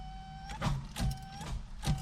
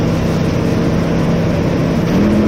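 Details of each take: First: 1988 Chevrolet S10 Sport ZQ8, sitting since 1994, on a rusty battery connection with one new terminal: the starter whirs faintly and drags the engine over slowly, about one stroke every half second. Slow cranking; the owner thinks there isn't enough power and plans a new battery. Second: 1988 Chevrolet S10 Sport, sat since 1994, after new fuel pump, tank, sending unit, hoses, rebuilt throttle body, cap, rotor, plugs and wires: catches, brief rev blip, settles to steady even run. Normal running.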